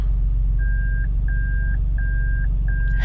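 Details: 2002 Toyota Land Cruiser Prado, freshly overhauled, idling fine: pressing the brake without touching the shifter sets off four even high beeps repeating every 0.7 seconds; false reverse buzzer triggered by the brake. Cause not yet found.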